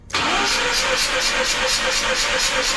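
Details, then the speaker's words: Mazda RX8 rotary engine cranking for a compression test, trailing plugs out and fuel pump fuse or relay out: even beat of three to four pulses a second, no firing. At 250 rpm rotors read 63, 70 and 66 psi; low compression, won't start. "So at 250 RPM, rotor 1 is 63 PSI, rotor 2 is 70, and rotor 3 is 66. They're low numbers. A good engine should be over 100 at 250 RPM. So that's why it won't start."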